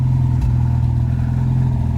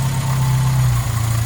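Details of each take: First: Hillman Super Minx after carburettor rebuild, during tuning, Cherry Bomb rear box: a low, steady engine drone with an even beat and no misses or popping; normal running, picking up fine and not over-fuelling. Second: Hillman Super Minx 2.1 carburettor after rebuild, idle mixture screw turned in toward rich: low steady idle sags and goes uneven, bogging as the mixture becomes too rich.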